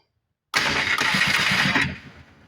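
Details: 1994 Polaris Trail Boss 250 ATV, starter solenoid jumpered directly from hot to bypass the reverse switch: starter engages abruptly and spins the engine over with quick even pulses for over a second; solenoid good, normal starter cranking.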